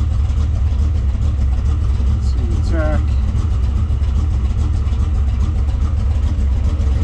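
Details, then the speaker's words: Factory Five '33 Hot Rod roadster (2015 assembled), 351 Windsor stroked to 408 CI, 10.4:1 compression, 512 hp, AFR 185 heads, dual Edelbrock 500 CFM carbs; warmed up then revved: deep, even V8 rumble, revs rise and fall, no knocks or misses; healthy. "Just an excellent sounding vehicle."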